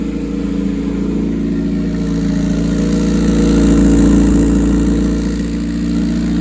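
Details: Rear-engine Honda CRX with a custom turbo kit, reclocked turbo, coolant and oil lines and V-band exhaust, restarted after first fire-up: even, regular idle with a smooth pulse and a slight rise and settle in revs, no misses or knocks; healthy idle.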